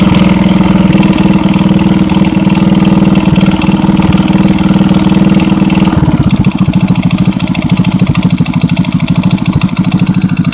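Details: 110cc single with a fast, steady tapping at idle that disappears at higher revs; began after replacing the leaking cylinder base gasket and persists despite valve clearances of 0.05/0.07, a doubled base gasket and new timing chain and tensioners; top-end knock.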